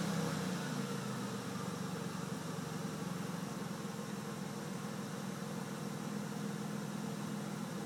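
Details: 1998 Dodge Caravan 3.3L flex fuel V6, warmed up after 10-15 minutes, throttle held steady at 2,500 rpm: uneven stumbling beat with irregular pops, backfiring and cutting out; misfire fixed by repairing damaged flex plate and replacing faulty aftermarket cam sensor.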